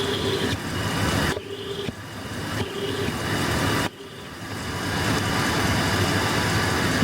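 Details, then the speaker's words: 2008 GM 1500 heavy-duty pickup at idle, stethoscope on the belt tensioner held to the microphone: steady rough whirring hum with thin ringing tone; tensioner pulley bearing has run dry. "well as you can obviously hear and see the tensioner itself the bearing in the tensioner pulley is bad on this thing"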